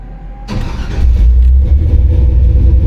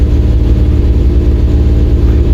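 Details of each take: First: 1953 truck with an LS swap on Holley EFI, which previously ran on about four then six or seven cylinders while fouling plugs. After a firmware update it runs on all eight: a deep, loud, steady rumble whose brief rev picks up cleanly without a miss. Normal running. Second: 1953 truck with an LS swap on Holley EFI, fuel at about three times the correct amount: loud, low idle with a regular hitch in the firing beat, running on only seven of eight cylinders; misfire.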